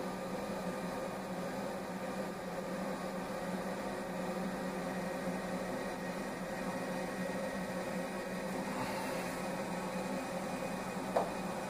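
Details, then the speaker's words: SOLLY H18 gas boiler that was shutting off with GS (heat exchanger overheat) and CS (supply temperature sensor) errors, running with pressure at 1.8–1.9 bar: a quiet steady hum with a faint even whir from the pump and fan. The pump works fine. "С насосом всё в порядке. Насос работает. Даже если вы этого не слышите."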